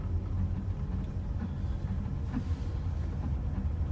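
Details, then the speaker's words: BMW E30 after new distributor, spark plugs and wires, on a test drive: deep rumbling idle with an irregular uneven pulse, still running rough; it needed a jump start, owner suspects battery, alternator or loose connection. "it just keeps running a bit rough and i just had a jump started too so i think i might need a new battery in the future"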